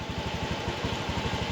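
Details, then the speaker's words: Fuel-injected motorcycle idling about 1280 rpm on JDIAG M100 scan tool, ignition advanced from 14.5 to 17.5 degrees, battery voltage 14 V; steady even putter, about eighteen pulses a second, no knocks or misses; normal idle. "Yang tadi putaran mesin itu adalah 0 rpm, sekarang sudah berubah dalam kondisi langsam seperti ini. Ini sekitar 1280-an"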